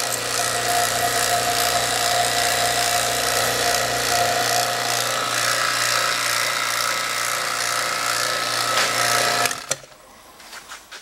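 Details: J.B. Platinum 7 CFM HVAC vacuum pump, run in comparison with an Appion TEZ 8. Smooth steady buzzing drone of constant pitch, no knocking or grinding until switched off; running healthy.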